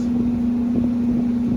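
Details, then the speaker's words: Beacon/Morris hanging garage heater after installing a new fan motor, replacing one worn with shaft play; flame lit, blower starts after a delay, blowing hot air; smooth, steady single-pitch hum with no knocks, rattles or wobble; normal blower operation. "so my new motor came in got it all installed got to fire it up o there's the flame wait for it wait for it still waiting for it takes a second come on Y come on hello look at that beautiful hot air and"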